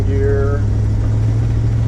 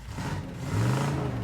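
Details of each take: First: 1977 Dodge Adventurer driving under load in second gear after fuel line rerouted: low steady drone then a sharp pop, backfiring through the carburetor; owner suspects lean condition from clogged carburetor, not confirmed. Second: 1977 Dodge Adventurer truck, 318 V8, first start in about two years, put in drive rolling downhill with weak brakes: short even rise in engine note pulling in gear, smooth and steady, no knocks or misses; sounds healthy.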